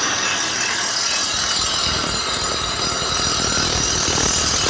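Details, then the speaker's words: Dual Express grinder sharpening Toro Greensmaster Flex 21 reel, adjusters turned about half an inch each side: steady high hiss of stone on blade with no gaps or chatter, contact even across the reel; normal grinding. "I turned them about a ½ inch on each side, and you can hear the noise change. Take a look. Now now we're back. We got much better spark now. Now we're grinding."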